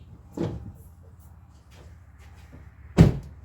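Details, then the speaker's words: Honda Civic no-start: two dull taps with no cranking, battery draining and smoking; AC compressor locked internally, belt discolored from heat, suspected of seizing engine; plan to remove belt; starter may also be failing. "it's draining the battery significantly so the battery's smoking and it just make like a tap noise as if the engine's locked up"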